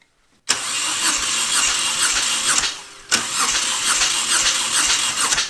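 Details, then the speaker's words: Moto Guzzi twin that left its owner stranded, suspected of running without oil, cranked on the starter in two bursts with a compression gauge fitted: steady, even pulses, no hiss or miss; compression healthy, other side checked next. "we're making all kinds of compression Ryan that's great news we'll check the other side just for integrity"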